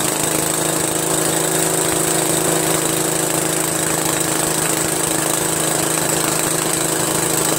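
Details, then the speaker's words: 13hp Briggs flathead single on MTD Cub Cadet lawn tractor after carburetor replacement: steady, even, fast beat with no misses or surging; running cleanly. "Wow pretty good man pretty good I'm pretty impressed"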